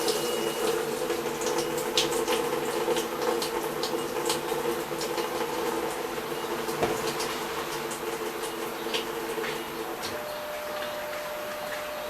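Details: Brastemp BWG11 washing machine with an intermittent water inlet problem, after the fault was found and fixed: smooth, even hiss of water filling with a soft steady hum and no chatter; normal fill.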